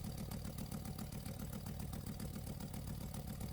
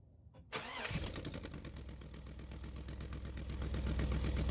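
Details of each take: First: Camaro/Firebird with P1415/P1416 codes, secondary air injection test with hose disconnected from check valve: idling engine with rapid steady flutter, air rushing through, confirming failed check valve. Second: 2001 Pontiac Trans Am after replacing secondary air injection check valve for code P1416 bank 2: engine catches quickly and settles into steady even idle, no misses, knocks or hissing leaks; running properly.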